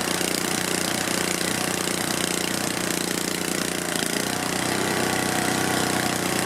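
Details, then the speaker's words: Tecumseh HH60 cast-iron single-cylinder engine from old Troy-Bilt tiller, first start after rebuild for seized, galled rod, carburetor not cleaned: loud rattly uneven chuffing at fast speed, won't idle, heavy smoke possibly burning off oil; carburetor cleaning planned. "well i don't like that it's smoking a lot although i think it might be just burning off oil oil on things and it won't idle"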